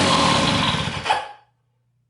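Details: Western Auto 5hp outboard boat motor, tank off, a little extra gas, choke off, throttle fully up: fires and revs hard with a fast buzzing rattle for over a second, then drops away; runs perfect.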